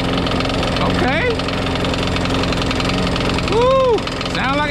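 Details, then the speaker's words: Craftsman Eager 1 mulching push mower after carburettor replacement, primed: small engine idles with a regular tapping knock each revolution, running rough and smoking, not hitting the blade; knock source unconfirmed. "it has a knock in it though oh yeah you sound like you got a knock in it it's running kind of rough kind of smoking"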